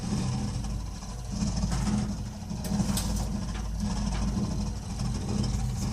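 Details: Burnham Alpine ALP150W gas-fired boiler, 3 years old, frequently makes this noise while running: low, uneven rumble under a steady run, swelling and fading every second or so. Cause unknown, owner asking.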